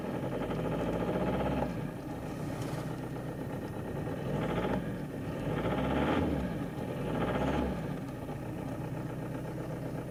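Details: Toyota D4D diesel at idle after replacing four faulty injectors and camshaft-cover seals, injector codes programmed with a diagnostic tool: steady, even diesel clatter with no misfire or knock. Owner first doubted the noise, then judged it normal.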